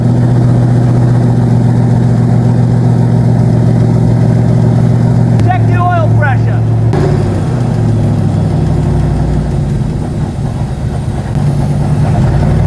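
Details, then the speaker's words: Old-school V8, fourth start: lumpy idle with a light, steady tick of about four per second that has returned on the same side. Owner suspects a valve train fault, possibly one valve spring heavier than the others. "That noise could have came and went, I don't know, but I heard the noise tick, tick, tick, tick, tick, start on that side again."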